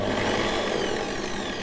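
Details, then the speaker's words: Parkside PTBMOD 710 A1 electronic bench drill (2020), running free at low speed under about 1000 rpm: initial speed peak, then steady whir wavering up and down as electronics hunt with no load; erratic speed control. "Ha un picco iniziale, poi si stabilizza questo aumento e questo calo del numero di giri. Quando io provo a fermare il cacciavite, il numero di giri aumenta."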